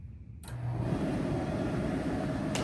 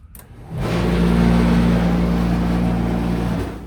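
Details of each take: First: ASKO dryer on auto normal after repair of a vibrating-noise complaint: starts and settles into a steady even whoosh of airflow with no knocking, scraping or vibration noise. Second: ASKO dryer running on auto normal, customer complaint of vibration: loud, steady droning hum with a vibrating edge, caused by lint buildup clogging the blower fan.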